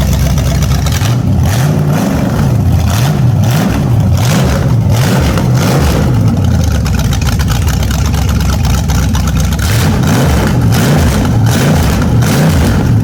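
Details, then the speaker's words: A naturally aspirated 010 350 Chev small-block V8 on an engine stand for an HQ sedan rebuild, revved in repeated blips. The deep burble swings up and down, clean and crisp through the pipes; normal revving, sounds tough. "I'm pretty happy with that. That sounds pretty tough to me for a naturally aspirated 350 engine."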